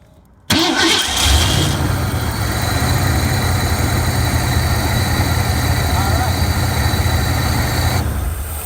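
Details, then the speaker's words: 1985 Ford F150 with a no-crank problem, cranked after the fuel return line was blocked to build fuel rail pressure; short crank, then catches and settles into a steady, even idle; normal start and idle. "right so we got our good running truck"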